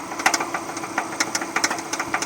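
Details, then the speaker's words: 2009 Subaru Forester 2.5L SOHC PZEV automatic, 101k miles, warm: irregular sharp popcorn-like knocking bursts at low rpm that smooth out at higher rpm; quiet when cold, and recent timing belt, water pump, tensioner and pulley replacement didn't help. "so usually when we rev the engine to a higher rpm the noise kind of smooths itself out but if you'll notice the knocking comes back and bursts and it has difficulties at lower"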